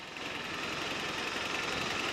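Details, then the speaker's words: Freshly rebuilt Toyota 22RE four-cylinder truck, warmed up, on a drive around the block: even, steady engine hum with no knocks, ticks or rattles; good power, smooth acceleration throughout, no weird noises. "feels like it's got good power smooth acceleration throughout no weird noises"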